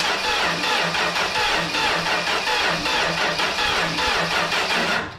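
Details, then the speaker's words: 1968 Dodge Dart slant six, junkyard car sat 18 years, nasty-smelling fuel system, cranked via starter relay: steady churn about one beat per second, never fires; cranks but no start, spark check next, cause unknown. "Still not starting. I think I'm going to uh check for spark now."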